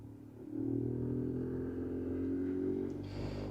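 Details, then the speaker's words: 2013 Ford F-150 with AC on: steady blower fan drone with a fluttering rumble from behind the dash at any fan speed. "So the AC's on and it's making this pretty bad rumbling sound from behind the dash over here. If we adjust the fan speed, pretty much at any speed you can hear the noise."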